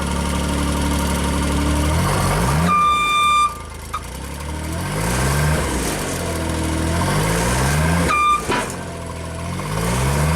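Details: JLG Baby Scissor lift small engine, cold day, new crankshaft position sensor; with a function engaged from ground controls engine speed swings up and down every few seconds with short alarm beeps.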